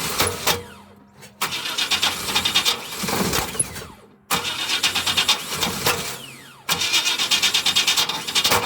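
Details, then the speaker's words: 2000 Chevrolet Express 3500 in Iowa winter, very weak battery, after a clunk during jump-start cranking: repeated uneven, jerky hard cranking that almost catches but never starts; cause undiagnosed. "Not sounding good. That's the noise it's been making. I don't know what it is. Sound like it wanted to start that time."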